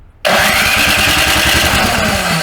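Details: Snowblower restarting after its carburetor bowl was drained and the bowl screw refitted, no re-prime: catches on the first pull and fires straight into a steady, even putter, so the engine starts and runs cleanly.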